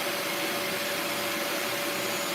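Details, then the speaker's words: Bissell Lift-Off carpet shampooer during a suction test while spraying: steady high motor whine with an airy rush, no surging or rubbing. A spray problem was first suspected, but suction is working and the suction motor runs normally. "Here we go. All right, so the suction is working."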